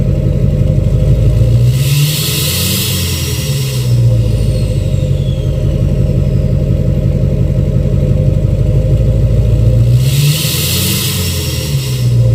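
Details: 2006 Chevy Silverado LBZ Duramax diesel, revved in neutral with new 5-inch straight pipe, flow-through muffler and DSP5 tune; two clean throttle blips from idle, each with rising then fading turbo whistle; normal revving with turbo spool.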